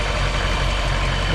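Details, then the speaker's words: 1959 Chevrolet Bel Air V8 during fall maintenance after oil and filter change: deep, even burble at steady idle with no knocks, misses or ticks; healthy. "yeah it sounds good handle up there taking it just can't blow out a little bit but it kind of went away"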